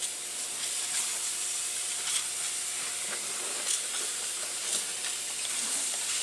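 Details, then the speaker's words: Transfer box pressurised with regulated shop air for leak testing: constant sharp hiss of escaping air, steady throughout; soapy water shows the leak at the end cover. "oh it's out of this end cover look at that"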